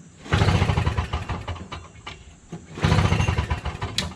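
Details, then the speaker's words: Toro Snow Commander 7HP R-Tek 24-inch single-stage two-stroke snowblower, hot day, 50:1 fuel, primed and choked, good compression: two hard pulls, even compression chuffs dying away without a single firing; no spark. "Yep, no spark. Just doesn't even have a sign of starting."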